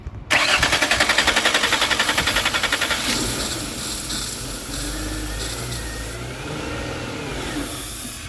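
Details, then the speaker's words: Car with a crank-no-start fault, cranking with brake cleaner sprayed into the intake after the throttle body connection was checked: rhythmic cranking about four pulses a second, then it catches, runs a few seconds and stalls; starts then stalls. "Now it's running, but now it still shuts"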